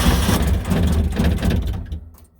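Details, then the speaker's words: 1973-77 Kubota B6000 4WD two-cylinder diesel tractor, cold start after glow-plug preheat, not run since yesterday: starts right away with an even low beat, then electric clutch whir winding down; normal start. "yeah, it started right away. Hasn't been started since yesterday. So as you can see, it runs pretty well. That sound you're hearing is the electric clutch slowing down."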